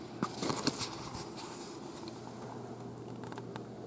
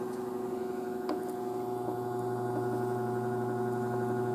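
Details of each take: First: BigBlue Cellpowa500 537Wh portable power station, pure sine wave AC output, running an electric fan: quiet, even fan whir over steady low hum with no buzz or growl, same as household mains; normal running. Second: Electric fan motor powered by a modified (pseudo) sine wave portable power station, compared against a BigBlue Cellpowa500 pure sine output: coarse, gritty electrical buzz and growl over the fan; stepped waveform causes abnormal noise and can damage motors and microcontroller appliances.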